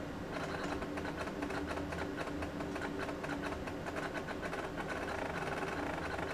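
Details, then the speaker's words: Real physical MiniScribe hard drive (not emulated) in an AT&T Unix PC 7300 at bootup: quick irregular clunky clicking and clunking over a faint steady hum as it seeks before reaching the login screen; normal seek noise. "you can hear what sounds like a real hard drive because well it is a real hard drive this is not one of the emulated hard drives that I'm using here this is actually a real physical mini scribe the good old loud ones"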